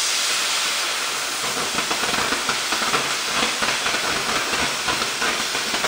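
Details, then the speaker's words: Oxy-fuel torch cutting thick plate with a quarter-range rated tip: steady, strong crackling roar with no popping or sputtering; clean sound coming off the bottom of the cut. "I like the sound coming off the bottom yeah it's nice and clean"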